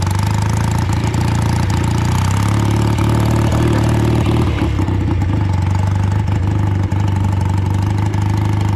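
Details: Old BSA twin-cylinder chopper on short road ride in rain after fuel tank cleaning and fixes: lumpy twin beat stumbling as revs climb, one cylinder dropping out under load; still running poorly, owner suspects carburetors or ignition.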